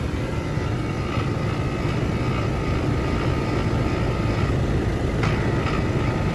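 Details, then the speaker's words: 2009 Trane XR13 4-ton 48,000 BTU outdoor AC unit, R-410A, 10 degrees subcooling: heavy rough droning rumble with constant rattle on compressor running, no clean hum; noisy labored compressor, cause not confirmed. "yeah that compressor really sounds like [ __ ] yeah we got a real shitty sounding compressor on this uh 4ton 48,000 BTU outdoor unit"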